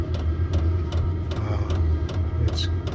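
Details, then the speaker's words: Newly installed diesel air heater running normally before the exterior exhaust pipe is fitted: a steady low rumble from the exhaust with faint regular clicking pulses from the fuel pump. "that's a sound that the exhaust makes if you running and uh there's a little bit of a rumble not too"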